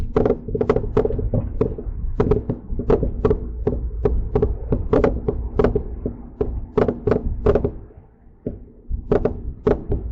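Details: Mercedes-Benz C300 on a test drive just after front-end work (CV axles, wheel bearings, front brakes), microphone in the back seat: irregular sharp clunks and knocks, one or two a second, from the rear over road rumble; something loose, cause not yet found.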